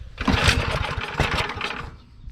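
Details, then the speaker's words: Pull-start auger machine that sat six months, choke on, started on a half pull: catches at once into fast even popping firing that settles and eases as the choke is turned part way off. Starts cleanly. "Oh, look at that. Turn the choke part way off. Gee, set for 6 months and half pull."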